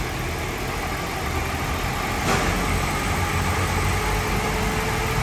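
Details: Honda City at 100,000 km, idling after its broken gearbox was removed and repaired: steady, even idle with a smooth low hum and no knocks, misses or gearbox whine; sounds healthy.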